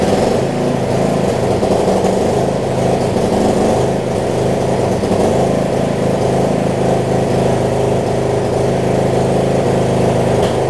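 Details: Murray rear-engine riding mower, warm; steady even mid-pitched drone, no misses or knocks; earlier valve grind fix holding up; owner wonders if a changed spark plug causes cold issues.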